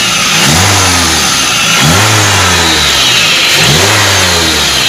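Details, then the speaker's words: Toyota Avanza, customer complaint of harsh whine in the engine bay under acceleration: whine climbs in pitch with each throttle blip and fades at idle; loudest at the upper idler pulley bearing, which was replaced. "mobil Avanza pelanggan mengeluhkan desingan kasar di area mesin saat akselerasi kita coba gas"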